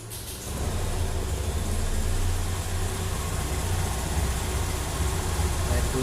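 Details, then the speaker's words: Honda Beat Deluxe scooter at idle: a low steady thrum with an uneven rustling crackle from the CVT belt housing, which is judged to need lubrication. CVT crackling noise; cause suspected, not confirmed. "Nah, ini kayak ada bunyi kresek kresek seks seksek gitu ya. Nah, ini butuh dikasih pelumas."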